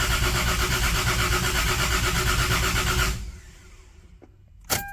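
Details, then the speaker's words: Lexus GS300 after first engine rebuild (ARP head studs, Supra head gasket, new bearings, rings, seals), timing just realigned: about three seconds of steady even cranking, nearly fires but never catches; cranks but won't start. "damn that damn near went off okay i did not expect that it actually tried to uh fire wow this sounds like everything's normal i think i'm going to try it again"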